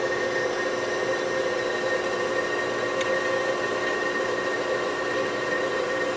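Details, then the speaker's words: Okamoto ACC-16.32DX 3-axis automatic surface grinder with servo incremental down feed, new spindle switched on and running without the oil: smooth, even hum with a steady high tone, no knocks, grinding or wobble; spindle running healthy. "Turn that on, and you can hear that without the oil. That's up and running now, so I keep going the wrong way with this thing."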